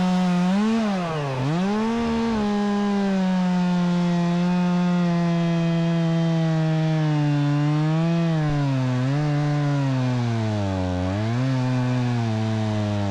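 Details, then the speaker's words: Stihl MS 270C chainsaw, warm after about 8 minutes of cutting: pitch sags hard as the bar bites into wood, then recovers; bogs down and died twice only when hot, runs fine cold; cause not confirmed. "yeah very powerful but it did bug down and died on me twice"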